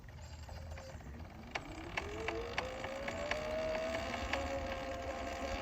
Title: Sur-Ron knocking sound